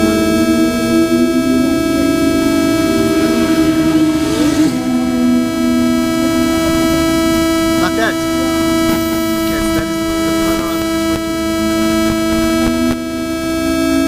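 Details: DJI H3-3D gimbal with GoPro Hero3+ Black, sitting on the ground, gives a steady high buzzing tone with overtones wavering slightly in pitch; buzzing seems to disappear once airborne, cause unknown.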